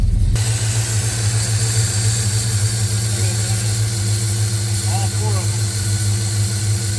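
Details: Engine with Holley Sniper EFI, after all four injectors were reinstalled to fix a lean condition: steady low idle with an even thrum and no stumble or misfire. Normal idle.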